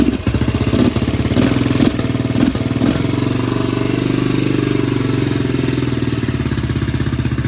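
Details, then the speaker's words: 2007 Baja Dirt Runner 125cc four-stroke Chinese dirt bike after repair: a few throttle blips, then a steady, even single-cylinder putter with compression and no knock or rattle now; owner hopes the top end is fine. "देखें कि इसमें संपीड़न है और यह ऐसा लगता है कि अब कोई दस्तक और खड़खड़ाहट नहीं है"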